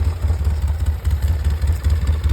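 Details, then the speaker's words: Polaris 700 quad, tach idle set around 950–1000 rpm: low lumpy uneven idle; running better but still rough, air filter setup makeshift. "It's still not running great, but it's better."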